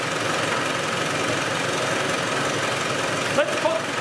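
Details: Land Rover 110 diesel tested with the valve covers off and the oil seen reaching the top end: steady, even clatter at constant speed with no misses or heavy knocks, and no sign of a compression fault; the engine sounds healthy.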